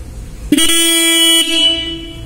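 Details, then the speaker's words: Stock motorcycle horn checked before retuning its tone: one clean, steady buzzy blast just under a second long, with a firm, even tone and no rattle; normal horn. "You can see we have a normal horn Its the first sound I make you check."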